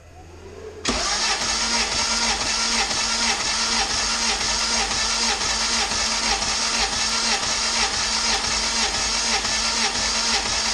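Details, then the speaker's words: Turbo GSR-swapped EG hatchback, cranking. Cranking is quick and light with an even beat and little drag, indicating low compression. Blamed on a poor previous tune; engine needs pistons and a rebuild. "but I do think this engine needs a rebuild definitely needs some Pistons so that is unfortunate that this motor probably needs a rebuild and whatnot"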